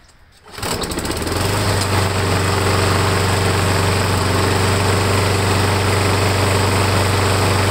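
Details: Briggs & Stratton Quantum engine, cold at about 45 degrees next morning, primed five times after new gasket and oversized washers fixed warped primer base: catches within a second, settles into steady even run, no misses or surging; normal cold start.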